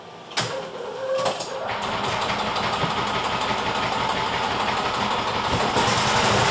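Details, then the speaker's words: Yamaha G2 golf cart after carburetor, air filter and spark plug tune-up, fresh premium fuel, choke pulled, about 35°F. A couple of cranking bursts, then catches into a fast, busy small-engine putter; first cold start in years. Normal cold start. "Okay, that's now the first time that's happened in about 6 to 7 years, starting up in the cold. So at least our tune-up did help"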